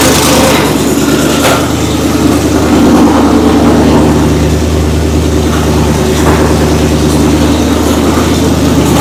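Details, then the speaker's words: Oldsmobile Cutlass V8, first fire-up in years after a timing bump: deep, even burble that picks up cleanly with throttle and settles back without misses or knocks. Sounds healthy, no leaks. "it's it's awesome to hear it fire up for the first time in all these years sounds healthy yeah it sounds good"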